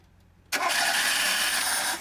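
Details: VAZ 2106 on LPG/petrol switched to petrol: starter cranks steadily about a second and a half without catching; no-start from failed petrol solenoid valve starving the carburettor.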